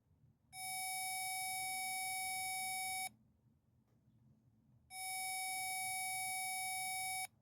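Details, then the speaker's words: Chevy Malibu power lock circuit: a continuity tester gives two long beeps that cut in and out as the green wire is pushed into a connector near the power lock module, making and breaking contact from a poor crimp. "as you can see as i push the green wire into this connector it makes and breaks contact our problem is right here apparently when i made this connector i didn't have a good contact or a good crimp"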